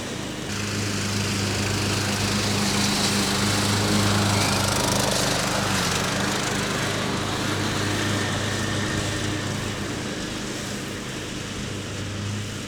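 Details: Riding mower after fitting a new deck belt: even, steady single-cylinder drone with a regular beat of about four per second and no misses or knocks; runs fine.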